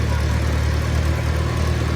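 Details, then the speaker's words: 1952 Farmall Super C on a test drive in gear after nine years idle, with a rebuilt starter. A deep, even engine drone pulling with no misses, knocks or rattles: super smooth and healthy. "We're gonna put it in gear here and see how she does. Man, super smooth, super smooth."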